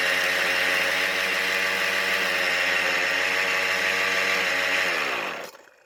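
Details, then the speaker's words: Poulan Pro pole saw two-stroke engine, freed after seizing in a flood, with a damaged flywheel key: it runs with a loose marbles-like rattle inside before dying; owner suspects a bearing was damaged underwater. "the problem is that I don't like the way this engine sounds it just sounds like a bunch of marbles rolling around in there I have to wonder if one of the bearings took a hit while it was underwater"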